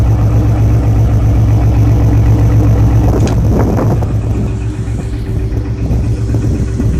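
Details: Ford 5.4 4V V8 at idle with a dull knock nearly four times a second under a low heavy rumble, still present after replacing all timing chains, guides, tensioners, gears, 3V oil pump and Cobra pickup; owner suspects a spun rod bearing.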